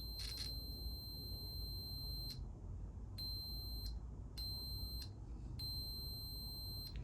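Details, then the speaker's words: 1982 Honda CT110 (stock 6-volt system) rear brake light switch on multimeter continuity: clean high beep each time the plunger is pulled, stops on release; switch works properly, not the fault, front brake switch next. "so this switch is working properly. This is not our issue."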